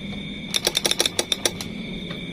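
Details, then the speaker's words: Honda Vario fuel-injected scooter that won't start, with a charged, normal battery and no MIL error code. Pressing the starter gives about ten quick relay clicks and no cranking. The mechanic says such cases are often burnt starter wiring at the ECU socket. "kita tekan tombol starter hanya terdengar suara cetak-cetek dari relay ini dari relay bagian situ"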